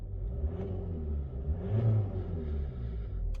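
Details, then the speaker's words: High-mileage Ford at idle: engine blips up smoothly from steady low rumble and settles back, clean with no misfire or rattle; owner notes occasional shudder at idle; normal revving. "revs up totally fine you know all of that stuff"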